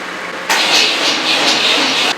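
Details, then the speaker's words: Rock Bouncer buggy with a small lawnmower-size battery, jump attempted from another vehicle: hissy, uneven starter whir for about 1.5 seconds with no catch or firing; cranks but won't start, likely weak battery, trickle charger planned. "I don't know if you guys could hear but it's it's cranking the good news is I might have found the problem"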